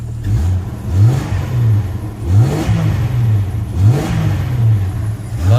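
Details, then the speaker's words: 1996 Jeep Cherokee Country XJ six, check engine light with code 21 oxygen sensor: repeated revs from idle climb and drop cleanly, no knock or miss; engine and transmission said flawless. "It moves the Jeep around. This really sounds good. Like I said, importantly enough, the engine transmission are flawless."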